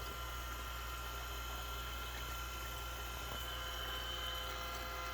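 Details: Perkin Elmer 198072 furnace cooling system chiller running with glycol water, its hose looped back to itself to circulate; even low hum with a faint water swish, no knocks or pitch rises. Circulation pump running normally.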